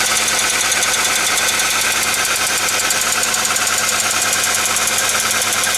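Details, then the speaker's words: Hyundai/Kia G4ED engine at idle, relatively new hydraulic lifters: fast, even, sharp ticking over the idle keeping pace with the engine; suspected failed hydraulic lifter, possibly factory defect, though not 100% certain. "Очень напоминает стук гидрокомпенсатора и Вполне возможно что действительно стучит именно гидрокомпенсатор"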